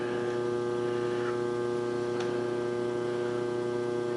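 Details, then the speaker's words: Phase converter heard through the wall while a Pratt and Whitney lathe with a Lima 4-speed drive is first started after restoration: steady, even low electrical hum in the background, running normally. "Alright guys, if you hear a hum in the background, that's my phase converter. It's just right on the other side of the wall there, and you usually can't hear it from the other machines, but this machine's you might can."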